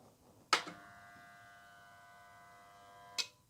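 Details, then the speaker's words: Air compressor with capacitor already known bad and visibly bulging: a click, then a steady electrical buzz for about three seconds with no run-up, and a second click as the overload pops; motor fails to start, needs a new start capacitor. "there you go do you see that pop out okay so that needs a new that needs a new capacitor"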